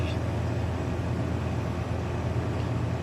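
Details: AC condenser on R32, about 80°F ambient, no-cooling call, pressures about 147/250, evaporator 50, condenser 83: steady low drone from compressor and fan, even and unbroken, no rattles or chatter; condenser running normally.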